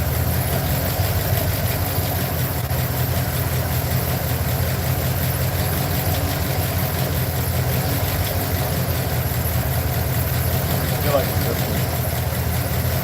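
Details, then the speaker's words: Truck engine at idle, checked with an inductive timing light on the plug wires: a steady low rumble with a slightly uneven beat. A cylinder is misfiring; a plug wire on one side with a laggy response is the suspected culprit. "I am going to put my inductive timing light to it and see which ones are misfiring so hear this engine Roar"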